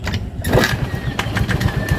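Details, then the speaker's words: Honda Vario 110 scooter with lost electrics, blackened regulator wiring, stuck starter relay/bendix, starter jumpered but too weak so kick-started: catches quickly and idles steadily, no misses or clatter, short circuit gone; normal start and idle. "nyalah Oke nyalah udah dan enggak apa namanya enggak itu enggak kongsret lagi"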